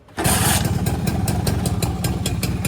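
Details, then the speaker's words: V100 two-stroke motorcycle kick-started with its starter motor removed, cooling fan not fitted: catches on the kick and settles into a crisp, regular idle with no misfires; normal idle. "Kita tendang kaki, dia masih boleh hidup lagi. Dia masih boleh hidup"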